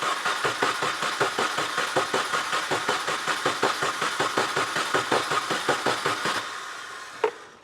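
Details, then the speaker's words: 2004 Mini Cooper S near 200,000 miles, start attempt after repair with a low battery: steady starter cranking, about five even compressions a second, that never catches and drops off; no spark because the ignition coils were left unplugged. "you forgot to hook the coils up that'll do it yep that will do it"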